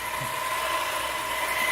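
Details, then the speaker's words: Hybrid cam wave speed reducer run by a control box in normal operation, motor current about 1.2–1.3 max: steady hum with a whining tone around 1–2 kHz over hiss; noise from vibration resonance in the mounting, not gear damage. "you can hear the noise is a little bit noisy is because we have some vibration resonance um taking place here"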